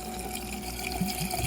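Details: Electric coolant pump on a Coyote-swapped car, wired key-on through a distribution block, while coolant is poured in. A faint steady electric hum runs under loud sloshing coolant with strong, even flow. The pump works, but it stopped later, likely from a blown fuse.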